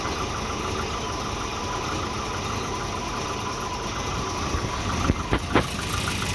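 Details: Volvo 240 petrol engine idling unevenly with an irregular, lumpy beat and a few thumps near the end; multimeter on the O2 sensor read erratically when exhaust got hot, and a new exhaust oxygen sensor fixed the rough idle.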